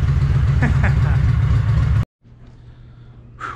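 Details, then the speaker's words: 2005 Kawasaki VN750 V-twin after stator and pickup coil replacement, revving with a full even throb for about two seconds then shutting off; running properly and now charging after coils were refitted correctly. "right so as you guys just saw this thing works i got it running it's charging now so it's perfect"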